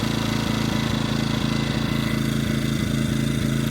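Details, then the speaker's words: EcoFlow dual-fuel generator running on propane with its steady drone broken by regular stumbles, because the propane regulator is adjusted too far out (too lean); it smooths out when turned back in. "Even worse, it's not running as smooth."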